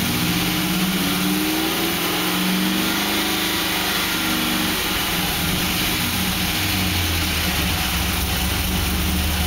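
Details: 2006 Pontiac GTO V8 idling with blips: light even knock that speeds up with revs; owner asks whether it is piston slap or something more serious.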